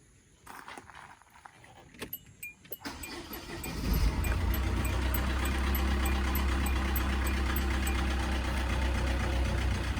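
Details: SsangYong diesel engine during an injector test: cranks, catches and idles with a sharp, regular knock about four per second over the rumble; diesel knock suspected, not confirmed.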